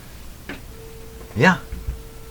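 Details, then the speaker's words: Roughly 100-year-old speaker under test with primary energized: silence and clicks, then a steady tone cuts in and out; suspected bad connection or defective voice coil, not confirmed. "there it goes. It's kind of a come and go thing."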